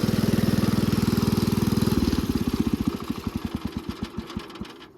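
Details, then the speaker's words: Wheel Horse mower single-cylinder engine, 13 days after rebuild with oversized piston and undersized connecting rod, while driving: loud blunt thumping about four beats a second, measured 103 decibels, then slowing and dying away; no distinct knock, seems low on power. "Guys, this thing is really loud at 103 decibels when you're driving it. That's just crazy."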